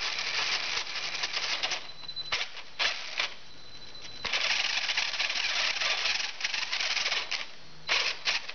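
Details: Tamiya TL-01 RC car drivetrain spinning, before repair; harsh rattly grinding with surging bursts from the diffs/gears over a faint high whine from a motor that is somewhat worn. Drivetrain gear grind.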